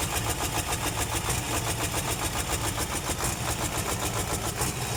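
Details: Mercedes-Benz Actros automatic truck, hard starting: fast, even chuffing of about three to four beats a second, like prolonged cranking; the engine is reluctant to start.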